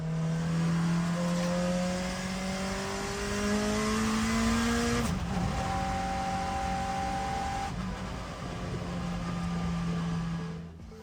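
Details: Honda-swapped Ferrari on track during its fastest lap: the engine pulls hard with tones climbing through the gears, then an uneven, flat-sounding note at full throttle, pointing to boost escaping past a lost hose clamp. Boost leak.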